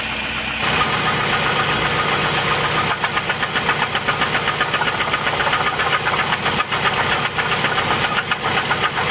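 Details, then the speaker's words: 2008 Chevy Cobalt 2.2 L run out of oil; on light throttle, sharp regular knocking about four per second comes and goes — internal engine knock, origin unconfirmed. "noise actually comes and goes sometimes let me give it a little throttle and have it act up some more there we go you can hear it really good now"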